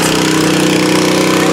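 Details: Nearly new Honda WB20XT water pump with GX120 engine, used twice, that would not start, after carburetor cleaning: fast, even buzzing idle with steady pitch and no misses or surging. Normal idle after repair.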